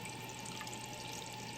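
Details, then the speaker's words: Toilet tank refilling after replacing a deformed flapper with a universal one to fix constant running: steady even hiss of water with faint constant tone, no sputter or hammering; normal refill. "So let's turn the water on let this fill up and"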